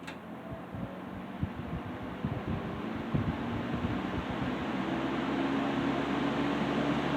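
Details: 1960s Phionex 16" box fan by Frigid, General Electric motor with oil ports, just oiled and serviced after running wonky; low speed after warm-up on high. Soft even whirr, faint steady hum, gentle blade whoosh; normal smooth quiet running.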